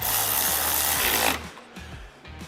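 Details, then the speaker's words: Electric driver reinstalling golf cart windshield screws into plexiglass: continuous whir that drops to short bursts as speed falls while the screw tightens; normal seating, the speed change signals it is tight, so avoid overtightening and cracking the plexiglass. "That's how it's, mechanics usually can tell the difference in the speed of it. There's a sound when it starts to tighten up."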